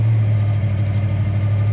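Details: 1966 Ford Mustang K-code, 347 stroker V8 about 50 miles since rebuild, new 4bbl carburetor and distributor, dual exhaust, not yet warmed up: deep, steady idle burble with constant low throb, no ticking or knocking; healthy.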